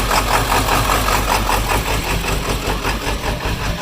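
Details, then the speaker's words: 2001 Ford F-350 with the 7.3 Powerstroke diesel, hard to start: the idle rises and falls every second or so, and blipping the throttle doesn't help. The IPR valve was just replaced; the owner suspects a bad ICP sensor. Surging idle, unconfirmed. "now it's a little bit hard to start and when it starts it surges like this"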